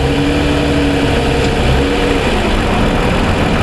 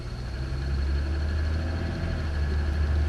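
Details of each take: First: 2007 Toyota Sienna, engine fully warmed after about 45 minutes of driving: steady, even idle hum with a smooth low drone and no sharp ticking standing out, unlike the cold-start ticking (suspected piston slap). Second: 2007 Toyota Sienna, still under powertrain warranty, cold-start idle: steady low drone with light quick ticking, owner's complaint on cold start; mic compared in engine compartment and inside, ticking persists — piston slap on cold engine.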